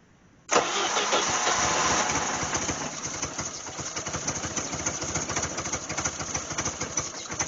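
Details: 1988 Jeep Wrangler 2.5L, cold start with new wires: settles into a lumpy idle at about three uneven pulses a second, rear cylinders not firing. Misfire; later found no spark on a rear cylinder, and distributor timing was also suspected.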